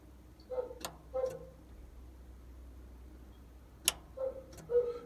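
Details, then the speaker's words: Key on, parking brake switch off: the solenoids on the side of the reverser click sharply at irregular intervals over a quiet room as it is switched between forward and reverse. "the other thing that i've done is um i've played around with the solenoids on the side of the reverser and so the key is on right now um key is on parking brakes switches off and you should be able to hear the solenoids clicking or the um yeah solenoids i suppose"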